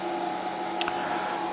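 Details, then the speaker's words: Arctic Air Ultra cooler fan (5V DC) on third/maximum speed setting with iced filter installed: even, steady airy whoosh with faint constant hum, no rattle or wobble; normal fan noise at high speed. "So this is in the third speed of the fan. This is the third speed setting."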